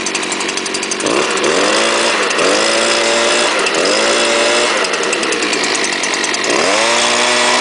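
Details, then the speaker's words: Leaf blower, likely made November 2010, started on choke with primer, throttle blipped every second or so with clean, quick rises and falls; healthy engine. "all right put on choke prime it and pull away runs like a champ"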